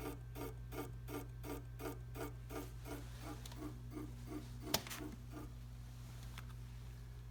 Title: Tacx Neo Smart clicking sound